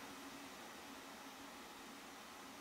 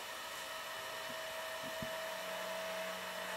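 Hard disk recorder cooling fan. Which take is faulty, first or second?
second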